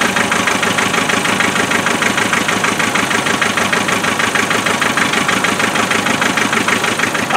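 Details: 2.5 NA diesel at cold start after glow plugs, with loud clatter and an uneven lumpy beat; misfire always on number 3 cylinder even with injectors swapped, located with a thermal camera on the manifold, then traced via injector spray pattern.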